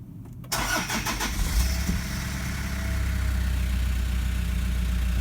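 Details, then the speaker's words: 2012 150 Prado 1KD-FTV diesel, about 150,000 km, stone cold start just after injector replacement, codes entered, no pilot learn: catches promptly into a smooth quiet idle, no rattly knocky noise as before. "Straight away, I think it sounds very quiet. Now it is stone cold. There's no rattly, knocky noise there like there was when it was cold before, right?"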